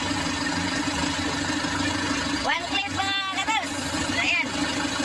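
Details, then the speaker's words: Isuzu 4JB1 diesel that would not start, after the starter was fixed and refitted: it starts on one click and idles with a steady, even low hum, no knocks or misses, smooth and healthy. "So pwede na kamy mo ayos one click siya mga guys one click"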